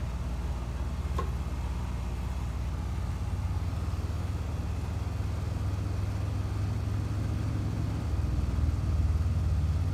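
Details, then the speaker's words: Outdoor HVAC condenser unit, compressor recovered from suspected thermal lockout, just kicked on and running; steady low hum, even drone, no knocking, rattling or squeal; amps under RLA, fan motor 1.1 A, to run 10–15 minutes before checking subcooling (target about 10). "It's just now really kicked on and started running, so we need to let it run for about 10 or 15 minutes."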